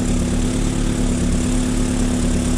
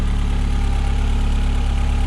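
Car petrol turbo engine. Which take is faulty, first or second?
first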